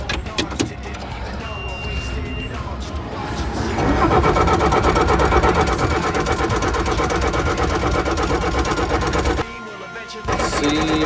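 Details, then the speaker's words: Bobcat track steer diesel with a no-start, after replacing a leaking fuel line section that was rubbing on the belt: short crank, then it catches in about four seconds and settles into a steady, even run. "fire it up see if she works all right got the line replac let's see if she starts"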